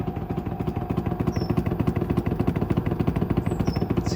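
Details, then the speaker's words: Samsung WD90K5B10OX 9 kg washer dryer, six-seven years old, during a cycle: heavy regular thumps about a hundred a minute; drum hitting something, owner suspects loose ballast, bearings possibly worn. "it's hitting off something down there do it have a loose ballast maybe I can check that"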